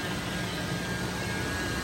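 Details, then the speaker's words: Toyota FJ80 80 Series Land Cruiser at idle; rushing hiss with thin constant whine from the power steering pump, suspected low fluid or air in the system. "seems like it's coming from here the power steering pump"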